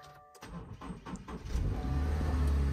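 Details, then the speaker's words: Car with dead battery jump-started with a Noco portable lithium jumper: quiet clicks, then a quick crank catching within about a second into a steady low idle; healthy start. "just like that the car starts right up"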